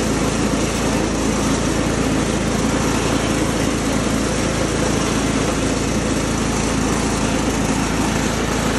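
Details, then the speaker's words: Cub Cadet HDS 2135 riding mower, Kohler engine, built about 1998–99, PTO working after relay replaced, deck serviced: loud, even drone with blades spinning, no misses or surging; runs steadily and healthy under deck load. "All in all, it's pretty sweet. The Kohler engine runs pretty quietly. It idles nicely."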